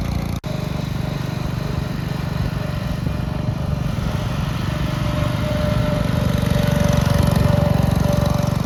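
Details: 1962 Bolens Ride-a-matic garden tractor on an outdoor drive after restoration: steady low single-cylinder chug picks up smoothly as revs rise, no knocks or misses; healthy engine running very well at varied revs.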